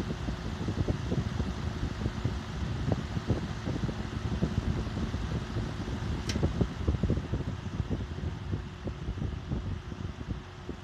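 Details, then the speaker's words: Restored vintage Emerson box fan, freshly oiled and reassembled, run on high then low: soft, even whir with a steady low hum and no ticking or scraping; runs smoothly. "So let's start it on out, on high, then low."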